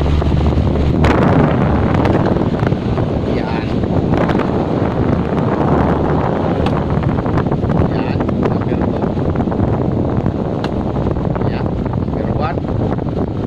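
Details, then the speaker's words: Electric fan that only hummed and would not spin, after its seized motor was cleaned and freed, running on speed 1: strong, steady rush of air with no hum, scrape or labouring; fan spinning freely. "Ayan yan. Malakas na yung hangin."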